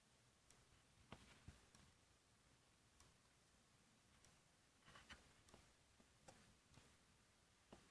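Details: Corsair AX760 power supply with only the power cable connected: faint, irregular sharp ticks, about one or two a second, in a quiet room.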